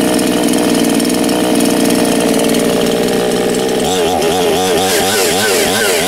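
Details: New ANBULL chainsaw with automatic oil pump, just started for the first time after pulling fuel through to the carburetor: steady high-rev buzz, pitch wavering with throttle, clean with no misses; normal running.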